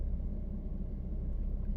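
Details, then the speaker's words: 2014 Honda CR-V test drive at low speed after tightening the rear sway bar linkage, which caused a rear bobbling noise (shocks not replaced); only steady road rumble over bumps, no knocking from rear; quiet rear suspension after fix. "it's uh it's totally tight now 100% yeah fully cranked and what's more no noise"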